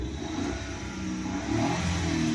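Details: Maruti Suzuki Alto small three-cylinder petrol engine revving smoothly and steadily with no stumble after an ignition coil fix; before the repair, one cylinder was dead, giving P0301, a blinking check light, vibration and no pickup.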